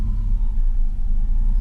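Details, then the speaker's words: 19-year-old 2000 Chevrolet Silverado after starter replacement, battery unplugged overnight: low idle that surges and sags as if about to stall; unstable idle, owner suspects the ECU forgot its idle and needs relearning. "sounds like it wants to stall guess it's always good to just completely reset the ECU wipe that thing"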